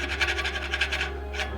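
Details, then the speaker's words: Bicycle front hub spun by hand after a rain ride: dry, gritty rasp pulsing with each turn instead of a smooth whirr. Water got in past failed seals and rusted the bearings, so the bearings will be replaced. "其实很多时候会遇到这种情况，像这样的花鼓，然后经过雨骑之后，你手放上去转一下，你就能听到，其实这时候轴承就已经有问题了。"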